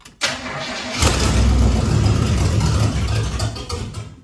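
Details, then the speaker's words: Chevrolet Blazer with new mufflers started up, cranking and settling into a loud, raw puffing idle from a big exhaust leak at the front near the manifold. "Now I'm hearing that uh now that I don't hear anything here, I definitely hear that we have a big exhaust leak here in the front."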